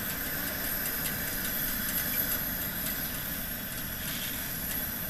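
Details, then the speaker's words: Coleman 414 Powerhouse dual-fuel stove, sat about two years with old fuel in the tank, primed and running: a steady, even hissing roar with no sputter, popping or surging, normal burner operation. "and uh this is the old fuel is in the tank and everything it just fired right up so anybody that says these old Coleman are unreliable I don't know about that"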